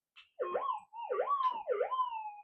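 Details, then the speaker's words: Minelab GPX-6000 metal detector with modified figure-8 coil, sensitivity cranked up in workshop: repeated warbling, dipping tones with no target present; false signals from another nearby coil coupling in, as resonant coils interact. "see you be careful when you leave coils near other coils in your Workshop because they all talk to each other they're all resonant roughly"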